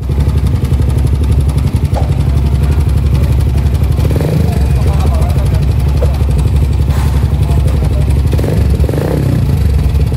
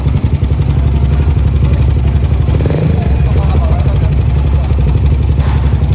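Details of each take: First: Suzuki GSX motorcycle after a major service (throttle body cleaned, new oil), previously noisy like a tractor: engine idles smoothly with an even low thump and no knocking or rattle from the top end. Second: Suzuki GSX motorcycle, owner complains of a rough engine sound, idling with a rough, busy clatter over a heavy low rumble, abnormally noisy in the engine internals; loose cam chain rattle.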